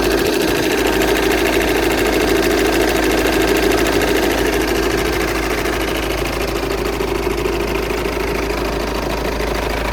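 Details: Volkswagen Passat 2.0 TDI diesel idling: fast, steady ticking knock like a sewing machine riding over the engine, unidentified strange noise in the engine bay.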